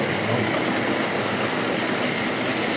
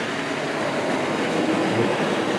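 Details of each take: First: Hornby Triang dock shunter model locomotive, number three, double-headed with another loco hauling eight wagons: steady, even rushing run with faint wheel clatter, no surging or slipping; running normally. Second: Hornby Triang dock shunter model locomotive pulling a heavy train: motor rushes and whirs unevenly as the smooth driving wheels spin and lose grip.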